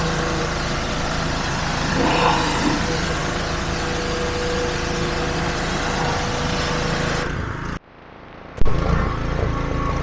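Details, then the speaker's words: Petrol pressure washer after replacing the seized pump with a new FridayParts pump, spraying with a leaking hose fitting: steady small-engine drone holding speed under spray load with even pump hum, then brief drop-off; normal running under load. "The power in that lance is something else. So yeah, I'm really happy with that."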